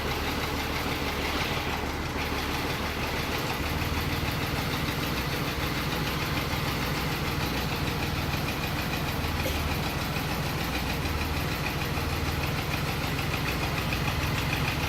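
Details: Mercedes M104 engine, second start after a full overhaul: steady idle with a faint loose ticking knock about three per second over busy mechanical clatter; engine knock, cause unconfirmed.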